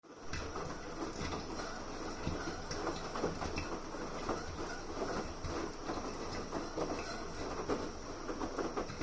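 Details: Beko Aquatech washing machine during wash cycle with a small load and unusually high water level: irregular clicking and rattling over a steady drum rumble, odd motor noise of unknown cause.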